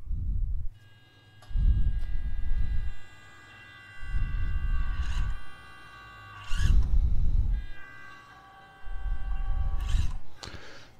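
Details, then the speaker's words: Atlas 6x6 RC crawler with stock ESC, compared against Furitek Tegu ESC: uneven bursts of motor drone starting and stopping abruptly, surging not pulling smoothly; stock ESC cogging, jumpy throttle at low speed. "see how how quick that jumps it's like it's not pulling it's not pulling you can hear it and then it and then it just goes that's the problem with the stock system everybody knows this"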